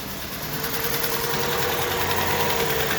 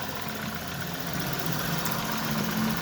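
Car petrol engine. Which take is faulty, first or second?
first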